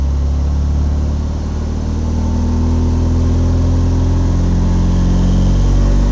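Steady, even starter churning at about three and a half turns a second, the engine spinning over but never catching: crank, no start.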